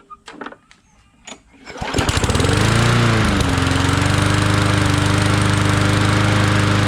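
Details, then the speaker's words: Bolens 22-inch push mower, starts after pulls, run briefly to avoid overheating: settles to steady high buzz with fast, even shudder; out-of-balance blade vibrating the deck. "Alright, fire's right up. Blade is out of balance, so it's vibrating a bit."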